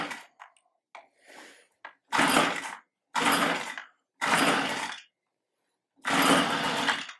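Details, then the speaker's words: Stihl handheld tiller/cultivator (string-trimmer powerhead driving a gearbox) with a no-start: on start/fast-idle with fuel poured straight in, bypassing the fuel system, it gives four short ragged two-stroke bursts, each dying within a second. It has spark, so the fault is likely fuel delivery. "Yep, so she runs. It's got spark. I think we're looking at a fuel delivery issue."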